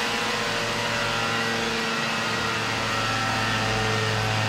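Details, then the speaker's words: Vespa PX two-stroke on carburetor tuning, after setting the needle to its leanest position (clip at top): steady, high-pitched howl held evenly, revving out cleanly without blubbering; much improved over the previous very rich setting that barely passed 7,000 rpm. "This is the leanest adjustment possible with this needle and emulsion tube and with that the situation improved a lot."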